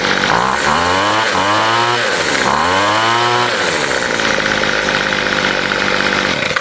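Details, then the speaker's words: Weed eater after carburetor adjustment, with two reference lines ground in: the engine revs up and back down cleanly twice, then holds a steady high scream with no stumble. Running well. "i uh fixed my uh my weed eater adjusted the carb the way i wanted it to be adjusted i made two little uh lines with the the grinder and actually runs pretty good"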